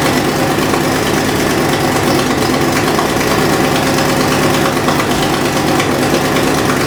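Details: Fox Body V8 at idle after new valve seals, cold: quick, sharp ticking over the burble from an exhaust leak at the passenger-side header with the X-pipe.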